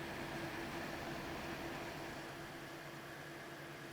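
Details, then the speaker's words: GTX 980 Ti graphics card, reported crashing in games, before cleaning: loud rushing air with a thin whine from fans at high RPM. Hotspot peaked around 89°C, core mid-70s. Owner suspects old, dried thermal paste. "Maybe the thermal paste is a bit old and it's dried out now, which would explain why the fans are spinning at such a high RPM, because it's not exactly quiet,"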